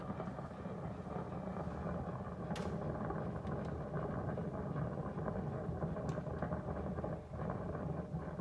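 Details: Daikin Ururu Sarara AN40PRP-W air conditioner indoor unit: continuous low, uneven bubbling, boiling-like gurgling, quite loud, no steady tone; owner thinks it is the sound of water.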